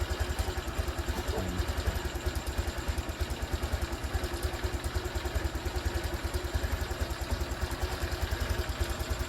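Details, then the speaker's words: Honda Click scooter after ECU replacement and TPS/ECU reset, engine started and idling: steady, even idle putter about three beats a second, smooth and stable; normal idle. "So paandarin natin siya, hayaan natin siyang maandar pagkatapos ng 10 minutes, 15 minutes."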